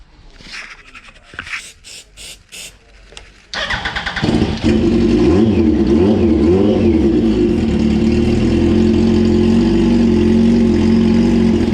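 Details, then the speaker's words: 2004 Yamaha R1 unstarted for over 10 years, on fresh fuel: several cranking bursts, then it catches, blips up and down and settles to a steady idle; owner suspects ether is doing the work, and the earlier non-running remains unexplained. "Fucking hell, the thing runs, mate. Like, it runs. What the hell is going on?"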